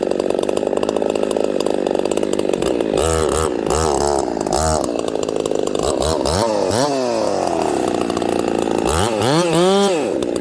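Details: Ported Homelite 922 chainsaw after clutch and fuel line repair and a cooler heat range plug, restarted hot; fires and settles, then snaps cleanly up and down through repeated throttle blips in the cut with no bogging; normal running.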